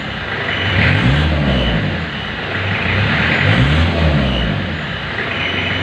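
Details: 1991 Isuzu Panther diesel during warm-up, engine said by mechanics to be still good, black exhaust smoke: revs up and settles in two smooth sweeps, deep and even with no knock or rattle; normal diesel revving.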